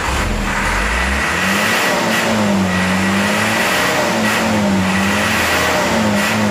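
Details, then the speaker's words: Mitsubishi Canter HDL 136 diesel box truck before repair: rough, wavering, hunting uneven idle and beat under load; injection pump timer found broken on teardown, fragments fell into the oil pan, bearings unscratched. "Suaranya kayak kena ini Ya kemungkinan timer bospnya Coba nanti dicek lagungkar bospomnya ya"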